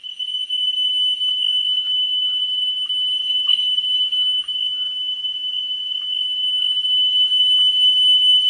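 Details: Pioneer CT-W205R 1990s auto-reverse double cassette deck during service: single steady 3 kHz test tone with slight level wobble while playback head azimuth is adjusted for highest pitch; 10 kHz check to follow.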